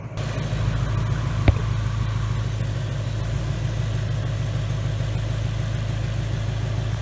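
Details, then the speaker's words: 2019 Mustang GT with Whipple supercharger, new built engine after a broken piston and melted catalytic converters, breaking in on BR30 oil: deep steady rumble at idle, one brief click early, no knocks or ticks; runs smooth. "this thing is running super smooth guys guys this thing is awesome"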